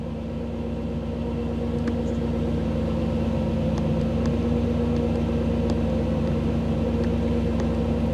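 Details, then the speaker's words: 1985 Camaro IROC-Z TPI, new engine build, cold engine in open loop, oxygen sensor recently replaced: steady, slightly raised idle with an even hum and no misses or knocks, airflow set higher while cold; normal warm-up. "the engine's uh engine's cold so things are are set up a little bit High I set up a little bit High um air flow and such are a little higher than normal"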